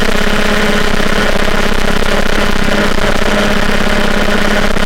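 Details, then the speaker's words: MBK 51 two-stroke with Bidalot G2RR cylinder, 24mm PWK carburettor and Ninja G2 exhaust: loud, steady idle with a busy clacking rattle over the exhaust note, coming mainly from the carburettor intake; the exhaust itself is fairly quiet. "bon on entend beaucoup de claquement ça c'est le carburateur c'est l'admission mais le pot en lui-même il claque le pot en lui-même est plutôt silencieux avec un bruit sympa ah c'est surtout le le carburateur"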